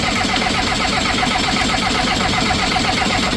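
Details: Skid loader diesel in cold weather: steady cranking with an uneven chuff that never catches. Lots of air in the fuel system and little fuel reaching the top of the injectors, so the system needs bleeding.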